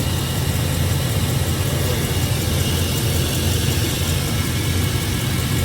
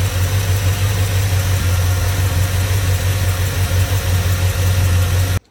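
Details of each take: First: 2002 Chevrolet Silverado V8 idling with a steady, even rumble and no stumble after a drive, following misfires on old gas; suspected dirty injectors, now sounds normal. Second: 2002 Chevrolet Silverado V8 idling with the valve cover off, valve train visible, after months sitting on old gas: lumpy uneven rumble of a misfire, injectors suspected dirty.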